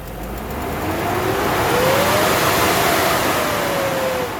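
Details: BMW M60/M62 V8 (E31–E39 535i/540i/740i) cold start after sitting over a year: loud rushing roar swelling over the engine and staying high, the noise of a failed viscous fan clutch that stays engaged when cold.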